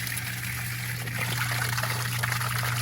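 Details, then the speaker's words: Crawl-space sump pump on a GFI outlet kicking on once the basin fills: steady low motor hum under rushing, gurgling water as it pumps the water up the pipe and out; running normally. "And what that's doing is it's just pumping it up through this pipe and out of the crawl space, so it's not staying in there, and it's making sure to not have an excess level of moisture in your crawl space."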